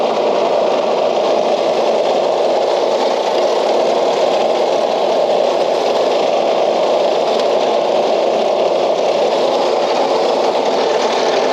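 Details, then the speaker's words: Old Craftsman LUV (Lawn Utility Vehicle) riding mower, non-runner revived, cap left loose as vent suspected plugged: steady, even drone, smooth idle with no misses or surging; stays running and goes in gear; normal running. "all right well it stays running and it does go in gear"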